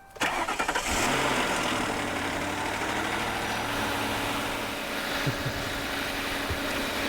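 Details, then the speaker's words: Ford V8 Crown Victoria police car, abandoned in a garden and run on a freshly charged battery, cranks briefly, catches fast and settles into a smooth, even idle with no knocks or ticks; normal idle, runs happily. "Yeah, she's happy as Larry,"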